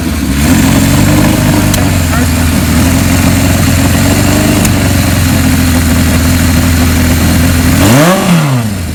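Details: 1977 KZ1000A four-cylinder, converted to LTD style and restored back, likely unrun for years, first start after cleaning the points: steady, smooth, even running with a quick rev blip near the end; the engine runs normally and cleanly.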